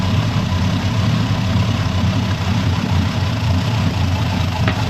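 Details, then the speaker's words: 1991 GMC Suburban R1500 with Rochester 220 TBI, after setting base idle to fix stalling and surging, idling in reverse: low, even burble holding about 550 rpm with no hunting or dips. "It started at a good idle. Go ahead, put it in reverse. We're holding good at 550 to"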